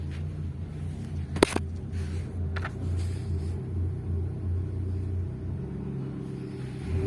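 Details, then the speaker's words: Hyundai Santro Xing, 52,205 km, idling after start: lumpy uneven misfire with poor pickup and low mileage, despite ignition coils and four spark plugs already replaced by another mechanic. "ये guys इस car में missing."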